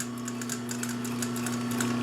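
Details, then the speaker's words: Pfaff 134 sewing machine at slow speed: steady motor hum with slow, even needle ticks; smooth, regular stitching, no knocks or catches, healthy. "I'll start it back up, and you can hear that hum. It's just a flick of the switch."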